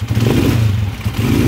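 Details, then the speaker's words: TMX155 motorcycle engine after overhaul and 200cc conversion, timing gears that previously whined loudly ("meow-meow"); short run with even low beat and no gear whine, timing gears now quiet: normal running after repair. "Napakinggan nyo na yung meow-meow niya kanina, napakalakas. So ngayon, goodbye meow-meow."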